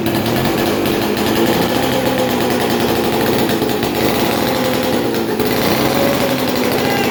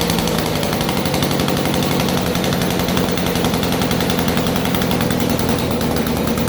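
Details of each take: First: 1947 six-foot two-stroke chainsaw unrun 40+ years; raspy ragged run for several seconds, then sags and dies; fouled spark plug sparking onto insulator under compression kept it from staying running; new plug fitted. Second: 1947 Chicago-made two-stroke Mall 6 ft chainsaw, barn find unrun for over 40 years, first start on a cold day; loud, fast, even two-stroke crackle with steady firing, no misses or surging; running cleanly.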